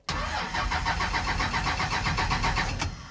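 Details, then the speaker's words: 2001 manual Cummins diesel truck, cranks briskly about four turns a second for three seconds but never catches after adding five gallons of diesel; owner suspects the fuel lines need bleeding and no fuel is getting through. "okay here we go we'll give it a try again [Laughter] dang it man i think we have to bleed the freaking lines now cause i wasted my few starts i had"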